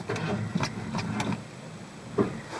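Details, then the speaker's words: 1985 Ford plow truck at about -5 below after sitting since spring, choke closed: sluggish, uneven cranking pulses about three per second that fade without catching; owner says battery is junk after four years of cold and plowing, needs replacing. "batteries junk I guess four years of shuffling it between five trucks and leaving it out in the cold and plowing all day long with this saying doesn't seem to help it much so this thing definitely needs a new battery"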